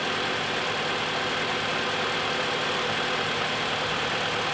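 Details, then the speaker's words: 2015 Mitsubishi Outlander, 4B11 2.0 engine, automatic, front drive, about 200,000 km, after repair for piston slap knock and oil consumption: warm idle even and quiet with steady injector ticking, no knocks; healthy. "работает ровно работает тихо"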